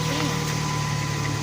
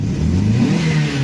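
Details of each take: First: 1998 Dodge Neon, 147,660 miles, just after replacing valve cover gasket, cam sensor seal, spark plugs, wires, air filter and PCV valve: steady even idle with no misses, ticks or knocks; sounds fixed. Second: 1998 Dodge Neon, single-cam automatic, 147,660 miles, oil leaking, warm, driving: engine revs with an uneven stumbling note, missing beats under throttle; misfire, before plugs, wires, valve cover gasket and PCV were replaced.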